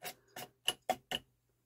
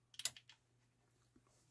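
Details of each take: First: Denon UD-M50 CD changer: five quick clicking, whirring bursts as the mechanism tries to start, but the loaded disc never spins up, after cleaning rails and laser. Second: Denon UD-M50 three-disc CD changer at power-on, faceplate removed: irregular bursts of whirring and clattering over about ten seconds, the changer's normal initialization cycle every time power is pressed.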